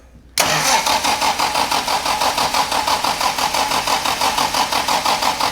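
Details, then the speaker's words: 1967 Morgan Plus 4 Drop Head Coupe, not run in years, cranking with choke on: even pulsing starter rhythm about three beats a second with a brief cough as it tries to catch, not starting; owner suspects ignition timing way off. "all right stop oh it's snorted that's a good sign"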